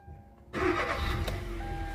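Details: Kia Rio with a crank-no-start fault, after fitting a new crankshaft position sensor: quiet, then the engine catches at half a second and settles into a steady, even idle; fault fixed, starts normally.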